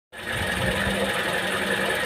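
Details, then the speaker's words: Engine running with a steady rough drone coming from a worn water pump. "mesin dengung kasar dari water pump water pump yang ini nih yang ini"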